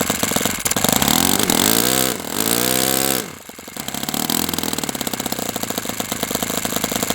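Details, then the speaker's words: OS FS-60 open-rocker glow four-stroke, first run in years, on a test stand: blips, then settles to a quick, uneven idle that won't drop lower; dies when the igniter is removed, which the owner reads as too rich; carb suspected. "What that something is could be either rich or lean. I would like to see this idle a lot slower than this."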